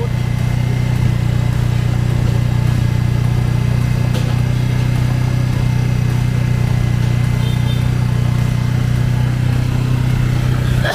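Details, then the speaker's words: Yamaha Jupiter FI (2020) rebuilt after seizing from running out of oil, idle turned down: steady low even idle with smooth unbroken beat, no knocks or rattles; engine quiet again as before, normal idle. "bây giờ các bạn sát lại thì nghe tiếng máy như các bạn nhắc đó máy lại Trở về như cũ là chỉ thầm các bạn ạ"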